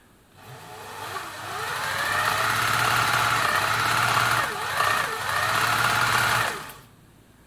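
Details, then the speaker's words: Singer 700 series sewing machine after cleaning, lubrication, motor hinge mount bushes replaced and belt re-tensioned: spins up to a fast, even whir with light steady patter, no clatter or knocking; running smoothly. "smoother [Applause] sounded pretty good there so I'll put this machine back together"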